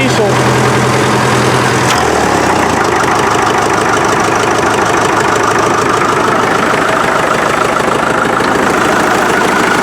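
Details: 1947 Farmall MD tractor, freshly reassembled, started via alternate means with a failed starter switch, in neutral, with a CO alarm beeping: catches and settles into a steady, even chug with no knocking; runs healthy.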